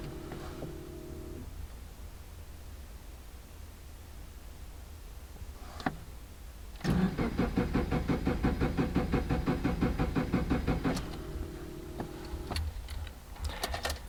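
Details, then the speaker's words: 2005 Subaru Forester XT after an STI-style turbo (VF39), up-pipe, exhaust and intercooler swap: even starter churn, about three compression beats a second, with the throttle floored to hold clear-flood mode, so it cranks without starting. "it's not gonna start up it's just gonna crank and crank that is for clear flood mode subaru has that too clear flooding situation if your car is flooded with fuel"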